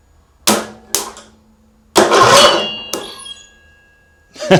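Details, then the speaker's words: Small engine cranked with the spark plug in but the plug wire off. Short, irregular cranking bursts with sharp clunks and a ringing metallic note. Abnormal cranking noise, cause unclear. "What is that strange sound? What is going on? So, I just took the plug out again just as as a because I don't I don't understand why it turns over and air is blowing out of the plug hole."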